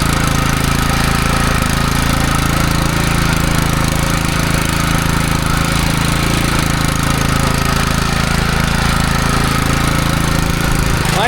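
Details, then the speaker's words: Replacement petrol engine on a yard scraper, fixed single speed with no throttle cable, oil checked good; steady fixed-speed drone with an even low hum, no misses or knocks, running clean and healthy after starting. "It might be such a simple little thing, but to me, after all the crack that this thing has been given, to be able to pull an engine that starts like that, that's awesome."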